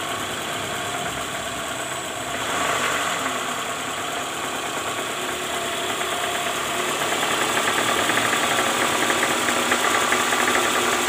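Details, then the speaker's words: 2009 Toyota Alphard ANH20, 2AZ-FE engine, heard from below near the oil pan at cold idle: rough rattly clatter about four beats a second, lessening when warm; balancer shaft found worn with play at gear no. 1. "Oke ini terdengar ya Bunyi kasar diare mesin kita dengarkan dari area bawah"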